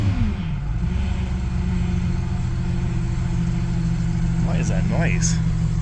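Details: Ford NL Fairlane 5.0 Windsor V8 being revved on first start after repairs: steady rumble with a thin whine rising and falling with revs; accessory noise, source not pinned down, idle may need raising.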